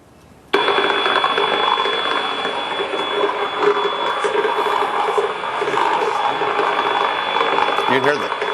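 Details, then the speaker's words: Transformer with movement, recorded in the UK: dense, irregular popping and crackling over a thin high tone, shifting in intensity/decibel level and tone. This is possibly related to load demand, which is uncertain. "it's not only the popping that you hear but there's there's shifts in the intensity or decel level as that's occurring now that may or may not be related to the load Demand on the Transformer I don't know that"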